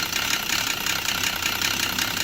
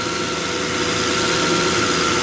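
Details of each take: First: Volvo XC90 at idle with scanner showing exhaust cam position too high: harsh rapid diesel-like clatter, pointing to a timing belt that has jumped at the crank. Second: Volvo XC90 that had sounded like a diesel, suspected jumped timing belt with cam position reading too high. First start after repair, temporarily reassembled without serpentine belt: even, steady idle with a smooth hum and no rattle or uneven beats; now quiet.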